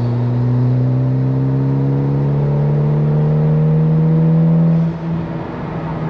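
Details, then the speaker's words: Mitsubishi Evo X with a misfire under high boost, after spark plugs were re-gapped, during a prolonged half-boost pull at about 13–18 psi: note climbs smoothly and evenly with no stumbles or popping. Runs normally at half boost; the misfire returns at full throttle. "Alright, that was okay. It was about 13 PSI. 18. And so far it's okay."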